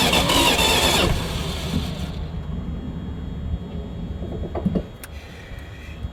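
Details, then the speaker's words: Dodge 318 V8 that died while driving, has spark and fuel, new ignition coil fitted, ether tried after cooling (owner hoped vapor lock): short loud burst of firing then weak uneven cranking, exhaust blowing back through carburetor; won't run. "I think we have something a little bit more catastrophic going on I don't know if you can hear that or not but I think we've got exhaust blowing up out of the carburetor"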